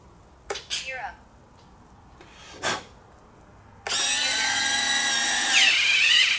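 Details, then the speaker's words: FMS 70mm EDF F-16C Fighting Falcon RC jet during assembly, first gear test after binding the receiver: about three seconds of even high electric motor whine as the retracts cycle, no grinding or stalling; landing gear working normally. "nice all right we got gear bonus got to love that"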